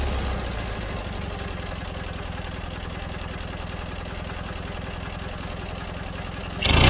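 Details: John Deere 317 riding mower twin at steady idle after carburetor cleaning: even, regular firing pulses with no misses or surging; it had quit while mowing and wouldn't restart because the carburetor was plugged.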